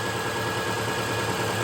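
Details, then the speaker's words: 2008 Subaru Forester towed in dead after alternator failure, at idle with a new alternator fitted: smooth, even hum with steady low drone, no knocks or squeal; charging again, normal idle. "Charging once again, so we'll let this run, charge our battery on up, and see if our check engine light throws, and if it does, we'll go ahead and scan and see what codes are active."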